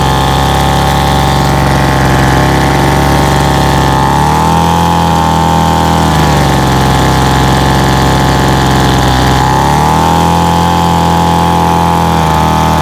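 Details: Cheap 26cc two-stroke Homelite 26B handheld blower with no throttle trigger, throttle set by hand: high steady buzz with a couple of smooth rises and falls in speed, no sputter or stall; runs well.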